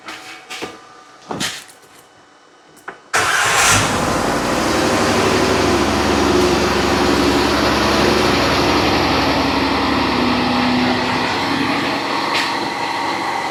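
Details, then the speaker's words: 2014 Dodge Grand Caravan with P0305, steady check-engine light, plugs and coil already replaced elsewhere, battery charger at 13.6 V; cranking and initial startup, then uneven idle with every fifth firing missing: cylinder 5 misfire, no spark. "you can see where it initially fired and right off the get-go it's missing number five you can see every fifth one is [Music] missing"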